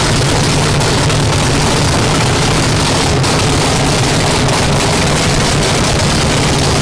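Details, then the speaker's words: 959 cubic inch nitrous drag race engine after new rods and a rebuild: loud dense roar held steady and even, no knocks or misses; running well and judged ready for the track. "We got it running and everything sounds good. I think it's ready."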